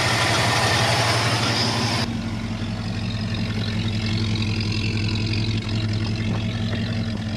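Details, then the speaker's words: 1972 Ford F-250 V8 after sitting at least 14 years, now running: steady even low burble at idle, no misses or knocks; running much better, though a locked front right brake makes the truck drag. "it is actually running a lot better idling good and everything this engine sounds great"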